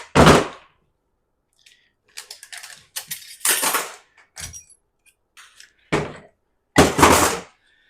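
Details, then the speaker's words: 48RE transmission from a 2004 Dodge 2500 5.9 diesel 4wd, leaking from the front and setting codes, old drum being shaken by hand on the bench: bursts of hollow metallic clunks as the servo piston rattles loose inside. "See how that's loose in there? Or, you can hear it. I mean, it does. It's loose in"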